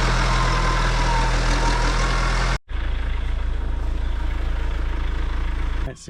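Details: John Deere 310D backhoe diesel with Stanadyne injection pump, after replacing the fuel shutoff solenoid that left it cranking without starting: brief higher run, then a steady, even low thrum with no misses or knocks; healthy idle.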